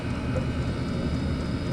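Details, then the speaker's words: Chinese diesel heater in garage, after fitting an ultra quiet fuel pump, running stabilised on diesel: steady low roar of the fan and burner with no fuel pump ticking; heater running quietly and normally. "filled up with diesel put the lid back on this is there's like no noise coming for that so as you all you can hear is the raw of the uh the motor"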